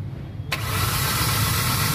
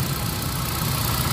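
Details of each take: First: Hyundai Accent gasoline with no spark on cylinder 1 (codes P0300, P0301, P0302) has a stumbling, lumpy uneven idle, blinking check engine light, no power and strong engine vibration. A dead ignition coil is suspected. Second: Engine after fixing a fuel problem: check engine cleared, steady even idle with no vibration or stumble, normal idle.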